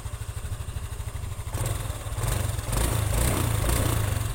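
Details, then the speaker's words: Honda Scoopy (possibly 2021), previously rough from a loose crankshaft bearing, after repair: an even low putter with one or two throttle blips and no knock or rattle, as smooth as a standard bike. Normal idle. "Sudah halus suaranya, seperti motor standar pada umumnya."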